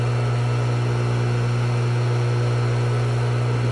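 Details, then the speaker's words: Swimming pool pump after cleaning the impeller: a steady, even motor hum with a constant low tone and no rattles or grinding; the shaft and impeller spin freely and the pump runs normally. "all right so here's what this should sound like when it's properly spinning and working right"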